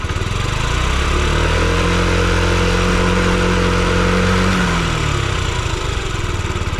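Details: Yamaha Gear scooter (UA08A-0315) running check: smooth, even low drone with gentle rise and fall in revs, no knocks, ticks or rattles; quiet, healthy engine.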